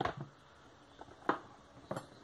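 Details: Honda electric power steering rack with noise complaint, motor and sensor on the rack: loose knocks and clunks each time the rack is shoved back and forth by hand; play inside the steering rack.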